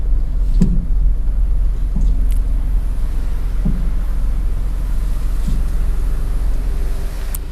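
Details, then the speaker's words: Car driving on the road with dull, low front-suspension thuds about once a second over road rumble, described as a "dug dug" sound; suspension clunk traced to the stabilizer link. "halo halo guys Oke pernah kereta anda mengalami masalah seperti ini ya Abila kita bahwa ini crita ada bunyi dug dug dug begitu kita rasa"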